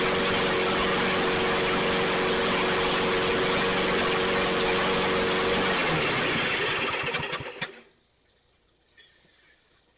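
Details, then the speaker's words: Toro 22 in Recycler self-propelled mower, after freeing a locked pull start, battery-boosted key start, carburetor suspected of not feeding fuel: small engine runs at a steady even buzz then winds down and stops; normal running. "okay that is it's running"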